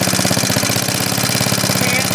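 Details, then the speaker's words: 1939 Onan generator after carburetor cleaning, 300 W light load plugged in (half its rating): steady single-cylinder beat holds speed with no hunting or surging, output holding 114.9–115 V; governor responds normally to load. "Yeah. Come right back. That's pretty good. It's pretty sensitive."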